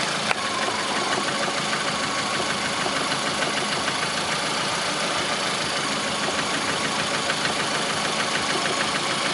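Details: 2009 Lada Priora, 37,000 km, at steady idle: light, quick tapping about three a second, a knock that began 500 km after adding Suprotec; owner suspects the additive, source uncertain.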